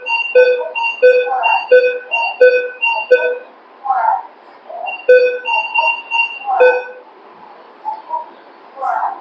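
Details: Minelab Vanquish 540 metal detector, 12-inch waterproof coil, air test with aluminium foil target: short, clear beeps repeating about every second as the foil passes the coil, normal target response.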